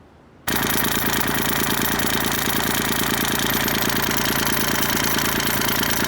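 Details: Kubota tractor loader handle at diesel idle before the fix: a harsh, uneven buzzing rattle throughout, from the washer at the upper joint of the sloppy lever, not the lower pin. It is fixed by fitting a metric R-05 O-ring under the washer.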